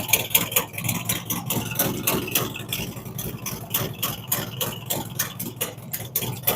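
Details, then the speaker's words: V-Twin motorcycle after cam and big bore kit install with Thundermax tuning, fresh startup: loping, uneven idle with steady potato-potato beat and shifting speed as it balances out; nothing wrong, normal idle. "This one will probably even out here in just a minute. It takes a little bit for it to balance out. There's nothing wrong there. It's just a fresh startup."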